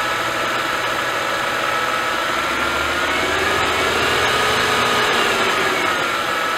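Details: Mercedes-Benz S211 with M272/M273 engine, a few seconds into cold start: busy idle with fast steady metallic rattle and stumble from low oil pressure caused by a leaking oil pickup tube O-ring, before repair.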